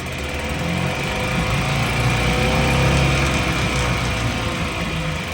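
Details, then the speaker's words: 1966 Mercury 3.9 hp single-cylinder outboard, probably not started in a couple of weeks, with fresh gear lube, running in a test barrel; even, quick popping about four a second with a steady buzzy drone and no misses, pumping good water: not bad. "Probably hasn't been started in a couple weeks. Not bad. Pumping good water."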